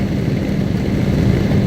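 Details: Exhaust hood blower, newly fitted motor on 120 volts, after belt tension eased via adjustable pulley: amp draw dropped from about 15.3 to 10.5 against an 11.5 target. Steady, even low rumble, no squeal, knock or flutter; running smoothly and healthy.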